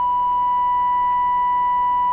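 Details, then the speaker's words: Nordmende 3004C, decoder circuits being adjusted for stereo separation: steady low-frequency test tone with fainter higher-pitched overtones ringing above it, harmonic distortion that lands in the ear's sensitive range; some shop ground-loop hum present. "now you can clearly hear that so I think I know what the lesson is here the lesson is distortions and lower frequencies produce harmonics that are more in the range of your hearing"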